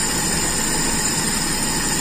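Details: Toyota Kijang Super with power steering, carburettor engine: slow, soft, even idle with a faint hiss, set by ear without a tachometer; idle far too low and needs turning up.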